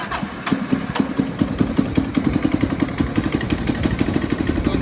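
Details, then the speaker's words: Chinese Yamaha Raptor clone single-cylinder ATV, first run after carb cleaning and refit, on choke with jump power: quick even idle with a sharp puff each beat. More exhaust seems to come out near the head than at the tailpipe; suspected leak. "Sounds like more exhaust coming out up there than back here."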